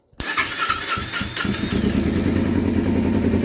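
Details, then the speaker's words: 2012 Kawasaki Ninja 250R after carb reinstall, gravity-fed fuel, no choke, throttle not connected, first start: a few quick cranks then fires and settles into steady even idle; healthy start, no carb leaks seen. "great success sounds good perfect idle didn't have to use any choke"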